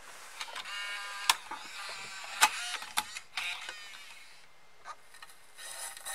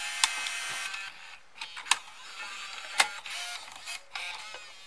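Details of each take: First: Bose Wave Music System II 3-disc changer, just realigned after not playing CDs: clicks and whirring with a light scraping rustle, as if brushing on something inside; afterwards discs played normally. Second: Bose Wave Music System II three-disc CD changer after opening and realigning the mechanism: light whirring and crisp clicks as the disc seats and spins up, loading smoothly with no grinding or slipping; normal loading and playback.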